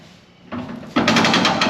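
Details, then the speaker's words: Newly installed Spartan lunchbox locker in a Ford 9-inch carrier with stock side gears, tested on the truck by turning one tire forward and the other backward: quiet, then a quick run of sharp popping clicks as it disengages. Locker ratcheting normally. "e rotate one tire forward against the drivetrain while another person my helper over there rotates it backwards and we should hear a popping clicking sound as you're in disengages"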